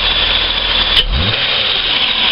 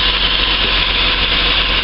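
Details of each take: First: After throttle body and idle speed control valve cleaning, one throttle blip and revs fall straight back to steady idle with no dip or hunting; idle slightly high since ECU sees engine as cold; normal. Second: Engine just started cold: steady running with heavy hiss on top and no dips or hunting, with idle higher than normal before it drops as it warms; owner noticed the rpm dipping too low after a throttle blip, and a throttle body clean is planned.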